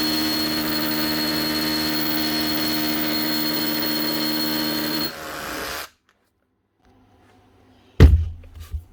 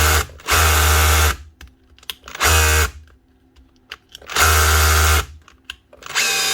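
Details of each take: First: Makita DHR242 18V cordless SDS hammer drill after repair, where a broken-off wire at the switch caused the starting and stopping and was soldered and heat-shrunk: steady motor whine holds without cutting out, then spins down cleanly; running normally. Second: Makita DHR242 18V cordless SDS drill, just over a year old, customer says starts and stops: hammers in one-second bursts then dies and restarts, only when hammering; intermittent cut-out.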